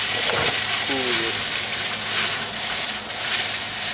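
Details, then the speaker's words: Vapor phase soldering setup, heater on, bath well over 100 °C, bubbles suspected to collapse on hitting colder water: steady hiss with scattered crackles and small pops; boiling sizzling and popping, cause not confirmed. "bubbles are collapsing and that's why you're hearing the popping sound"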